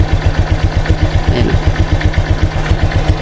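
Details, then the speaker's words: Honda Click 125 V3 scooter idling slowly with a rhythmic low knock like a bad connecting rod, about four a second; it idles unstably and stalls, especially on cold start and in traffic; the fix is raising the idle speed. "maririnig niyo merong Kakaiba siya parang may sira yung connecting L doun pa lang sa hindi stable Yung kanyang Menor at saka namamatayan lalo na pag cold start"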